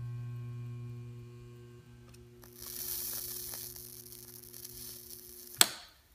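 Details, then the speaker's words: Homemade metal melter from a microwave oven transformer with a one-turn 4 AWG secondary giving about 1.95 volts at hundreds of amps: a steady mains hum, then a rising hiss and crackle as a steel bolt heats and melts, ending in a sharp snap. "I can hear the Transformer humming and uh we'll test it out on some metal to see what it does"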